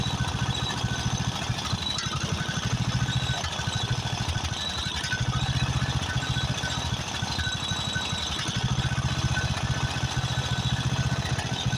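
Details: Craftsman riding mower, 13.5 hp Briggs & Stratton OHV single, after a carburetor replacement: uneven chugging with a pulsing, knocking beat at idle. Owner suspects fuel mixture adjustment or possibly a blown head gasket.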